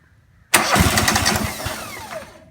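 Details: Single-cylinder lawn mower engine started after replacing a blown head gasket: it fires on the first pull, catches at once and settles into a steady, even run. Normal start.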